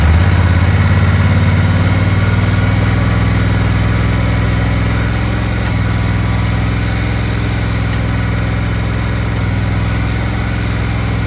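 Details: Cub Cadet 1863 garden tractor, final run after replacing the PTO clutch bearing: small engine fires up and runs steady and even, with no rattles, grinding or bearing noise; normal running.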